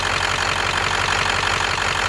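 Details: V8 idle with an uneven, stumbling beat that keeps wandering instead of holding steady; rolling misfire, owner suspects cylinder 8 misfiring, cause not confirmed.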